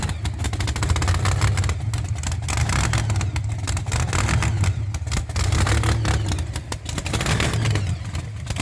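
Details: Cold-day start of a V8 hot rod after top-end work, new distributor and wires, and newly installed headers; a deep, uneven rumble rising and falling with throttle blips, firing steadily with no knocks or ticks. Normal cold start and revving.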